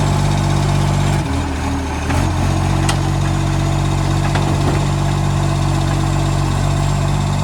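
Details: Garbage truck SL025 idling and driving on its recycling route: heavy diesel rumble with uneven raspy puffing and ticking, from a massive exhaust leak.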